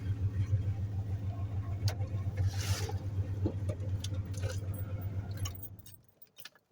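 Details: 1995 Chevy with a bad transmission, after sitting a year: engine runs at a steady even low drone with regular pulses and no knocks, keys jangling over it; runs great and still goes in reverse and first gear.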